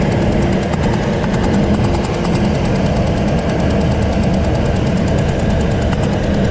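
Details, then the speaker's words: 2005 Ford Expedition 4.6L V8 (possibly 5.4L), over 200K miles, cylinder 7 spark plug blown out with its threads; loud rough running with a sharp fast puffing tick as compression escapes from that cylinder. "I'm gonna crank it so you guys at least can see what I mean about what it's doing all right this is bus blowing out of that that cylinder"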